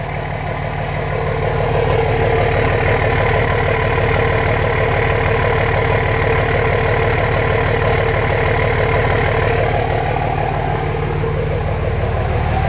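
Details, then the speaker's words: 2005 common-rail Cummins diesel in a 2008 Ford F-350 dually, oil still dripping: steady even idle clatter, no misses or knocks, no smoke; healthy, runs better than in the Dodge. "Man, she's running good though. It's just so cool that it runs better than it ran in the Dodge."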